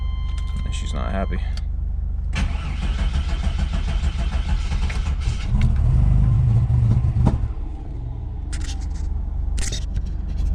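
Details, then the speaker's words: 1993 GMC Typhoon before diagnosis: lumpy, uneven idle surging with occasional sharp pops, backfiring, hard idle and dumping a lot of fuel; starter seems to stick; owner suspects ignition timing is off among other things. "savage some backfiring and hard idle and a lot of dump fuel"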